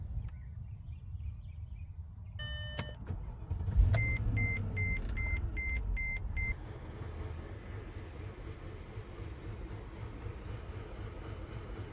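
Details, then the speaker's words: Mercedes R500 V8 at idle after replacing a spark plug and ignition coil, dashboard chimes then start. Slight rough idle persists but is much calmer than before, with a faint unevenness still audible. No code thrown yet. "It still has a bit of a rough idle, but like substantially calmer than it was. But yeah, you can still hear it a little bit."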